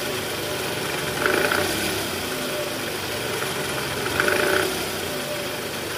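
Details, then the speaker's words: 2010 Toyota Camry 2AZ-FE, heard from the side. A rough gravelly rattle from the oil pan area that eases as the engine warms; the balancer shaft is worn and was found loose. "Oke jadi bunyinya bunyi kasar di area bawah ya Bunyi gerak gitu"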